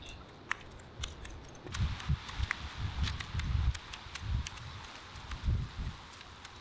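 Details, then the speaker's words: Manual hedge shears, sharpened and cleaned up, tested outdoors: crisp clean snips every half-second over leaf rustle and footsteps, blades closing fully with no snag; normal cutting. "So I ended up sharpening mine pretty much the same. It sounds great. It's all cleaned up."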